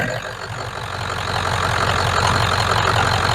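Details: 1994 Ford 7.3 Powerstroke diesel truck after fixing crank-no-start at the IPR wiring: steady, even diesel clatter at idle, about three or four beats a second, no misses or stumbles; running normally.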